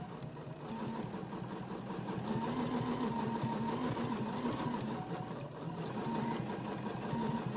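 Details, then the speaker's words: Bernina sewing machine free-motion quilting a placemat with the BERNINA Stitch Regulator: even needle chatter at about four stitches a second, stitch rate rising and falling with hand speed, light hum; normal stitch-regulated sewing. "if i go faster it's going to stitch faster if i go slower it's going to stitch slower"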